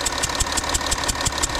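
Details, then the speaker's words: 2012 Audi Q7 diesel idling at morning cold start with a sharp rhythmic hissing puff, about six a second; owner suspects compression leaking past an injector seal on one bank, diesel smell noticeable. "heating noise the air leaking form one of the injector okay like that when you start it up you can smell the diesel as well you can smell the diesel"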